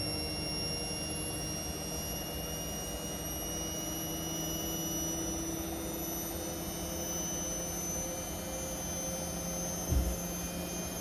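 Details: Indesit Innex XWSC61252 washing machine, brought in for not draining, on spin test after repair: even motor whine at steady tone with one brief thump near the end; spinning smoothly.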